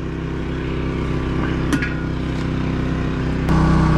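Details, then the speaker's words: Champion Dual Fuel 3400 inverter generator powering a 50 amp RV through a 30 amp dog bone, with the air conditioner and lights on, recorded from a distance: even, steady drone, constant pitch, no surging or misses; running fine under load. "the rv is plugged into the generator now it's running fine i kicked on the air conditioner so it's going good"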